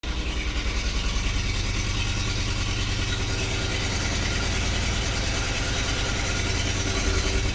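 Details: Idle with an uneven, stumbling beat, a dropped pulse every few revolutions under the low rumble; cylinder 1 misfire.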